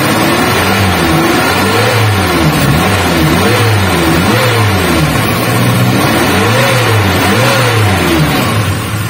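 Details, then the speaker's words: Suzuki Katana/Carry 1000 after repairing a worn distributor that caused stuttering on acceleration and uneven idle; clean throttle blips rise and fall smoothly, no stumble, idle now smooth without shaking. "untuk disentak atau dicentang efeknya itu sudah tidak ada berebut seperti tadi ya"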